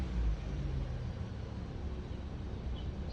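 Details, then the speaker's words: 2017 Chevrolet Malibu idling after replacing a broken camshaft position actuator solenoid/sensor for codes P0014 and P0017; previously hesitated and struggled to start. Even low rumble, steady rpm, no stumble, dip or surge. Normal idle. "put it on plugged it in and the car is not hesitating uh the RPM is staying nice and study and"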